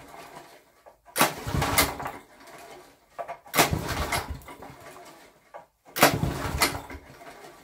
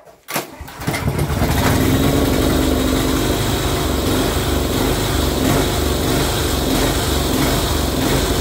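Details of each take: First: Barn-find Honda GX340-engined generator with a homemade CDI ignition (originally no spark): three brief rasping pulls about 2.5 s apart that never fire; no start because the ignition earth wire was disconnected. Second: Barn-find Honda GX340 single-cylinder generator, previously no spark, now on a home-made capacitor discharge ignition: brief cranking, then it catches within a second and settles into a steady, even run; starts and runs fine.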